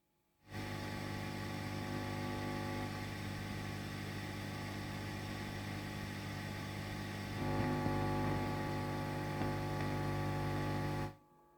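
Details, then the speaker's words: 1968 Twin tube guitar amp being cleared of noise: a steady low mains hum with overtones, no rhythm. Hum from a shielding fault. "je vous montre d'où vient le bruit oui [Musique] un problème de blindage"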